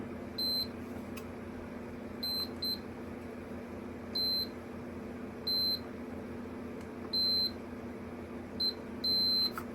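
Short, clear high-pitched beeps sound each time the probes touch, over a quiet room hum; continuity is good.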